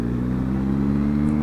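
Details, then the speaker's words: Yamaha XJ650 after clutch plate replacement and Colortune carb mixture-screw adjustment: steady engine note that drops cleanly back to idle after a throttle blip, no longer hanging revs as before; carbs now sorted. "Give it when you blip the throttle now, it don't uh don't hang like it used to."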